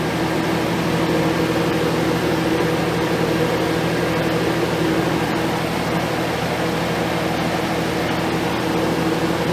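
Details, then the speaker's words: 1987 Hotpoint 4200 BTU Porta-Cool, running after its first start in about five years of storage and slower to get up to speed: steady, even hum with a constant fan whoosh and no knocks or rattles; runs smoothly. "I'll let it run a minute and see how long see if it takes it very long to get up to speed"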